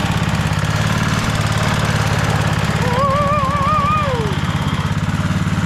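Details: Rover Ranger ride-on mower running in neutral after no-spark repair (points cleaned and gapped to 20 thou, coil gap set, flywheel cleaned, carby serviced): single-cylinder engine pops along at steady, even beat, no misses or surging; runs like a beauty.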